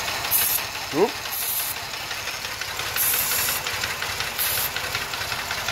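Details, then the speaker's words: 2005 Ford Taurus 3.0 being checked for stalling: the idle holds steady through repeated sprays on the intake and vacuum lines, with no rise in idle, so no vacuum leak is found. "so therefore I believe that not only is the catalytic converter good from the previous test I also believe my vacuum is fine I got good vacuum to the engine because I never heard the idle go up once"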